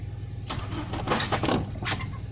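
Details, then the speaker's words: Nissan Bluebird, first start attempts after head gasket replacement, fuel added to the carb: low even cranking with a few short coughs, never catching; cranks but won't start, owner suspects ignition timing way off, possibly wrong lead order. "oh nervous H that doesn't sound like it's going to start well we keep on trying bit of fuel in the carb W oh that was trying to fire the ignition timing might be way off so maybe that's the problem there"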